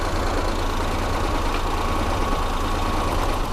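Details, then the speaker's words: Used Suzuki Mehran 800cc with a misfire complaint, at idle during a cylinder balance test: once one spark plug wire is pulled, the idle turns lumpy and the engine starts vibrating, showing that cylinder was firing. "जैसी white उतारी engine vibrate करने लग गया"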